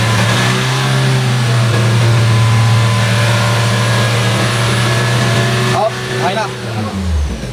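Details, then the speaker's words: 2019 Nissan Terra automatic diesel, flood-exposed, which ran but would not move; held at about 4,000 rpm it drones with an uneven, wavering misfire that shakes the doors yet still pulls with power; diagnosed as a problem with two injectors. "na so yun mga sir Ayan nanginginig pati yung pintuan sup palyado siya pero ngayon may power"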